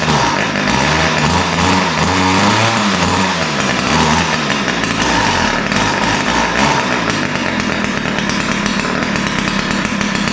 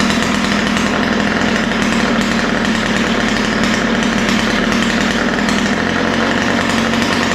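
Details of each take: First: Ryobi two-stroke string trimmer: runs but buzzes with hunting, uneven idle that surges, then thin top end; both carburetor mixture screws too lean, to be opened slightly. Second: Ryobi two-stroke string trimmer after opening both lean mixture screws, low-speed needle set slightly rich: crisp, steady buzz holding an even speed with no stumbling or surging; runs cleanly after carburetor adjustment.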